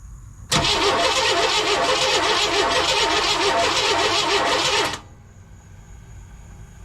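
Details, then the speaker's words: 1998 Chevy C1500 truck, carb cleaner sprayed into intake: about four seconds of steady even cranking that never catches; crank no start, no spark, H suggests failed coil. "I put a carb cleaner down the down the Yap of this guy and it wasn't firing it fired one time it did not sound good but uh I threw some carb cleaner down it and it still wouldn't fire back off"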